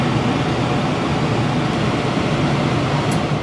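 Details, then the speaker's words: Heil furnace after a sequencer was fitted for an inducer time delay: the sequencer clicks, inducer amp draw ends, and the blower keeps running with a steady, even air rush and low hum with no rattle before cycling off; normal blower run-on. "Amp draw is gone. Blower is still running. We'll wait for the blower to cycle off."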